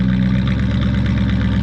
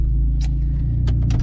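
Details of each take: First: Square-body truck driving home: a steady, even engine note with a deep smooth pulse and no stumbling or cutting out. Normal running. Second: Jeep due for a new head gasket, running: deep throbbing rumble with a rough low pulse and sharp chirps from a bad exhaust leak.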